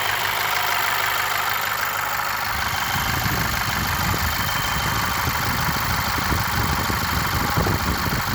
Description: 2.0 tsi ea888 engine with new chain and modified tensioner.strange knock still present only on warm idle.any ideas??